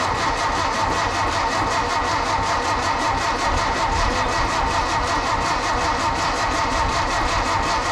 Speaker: So what's happened is that we have to take the distributor drive out of here and spin it around 180 degrees so it works. So it didn't work, but now we know. It did make a popping sound, but not the right popping sound.